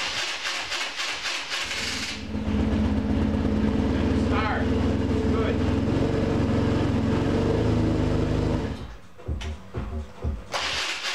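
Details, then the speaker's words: BMW R1150RT motorcycle after starter replacement: engine cranks and fires, holds a steady even beat without the previous grinding; a nick in the flywheel adds slight extra noise each revolution, not a big issue; normal start. "good that's much better it still has there's a Nick in that flywheel which is making that extra noise on each Revolution that's not a big issue starter sounds better it's not grading like it was before"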